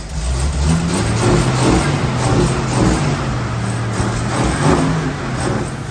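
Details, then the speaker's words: AMC Eagle, carbureted, ignition via vice grips, water spraying into carburetor from bad radiator, timing possibly off: revs climb and sag unevenly, slow to pick up and bogging on throttle; hesitation on acceleration, cause unconfirmed. "Well, it runs. Yeah, it was not picking up. We lost our pickup in there, so."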